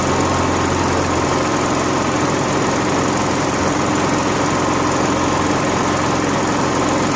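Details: Honda gas-powered AEC welder generator that had been starving for fuel, running warm on an added electric fuel pump jumpered straight to the battery: steady, even buzz with no surging or stumbling. Runs normally.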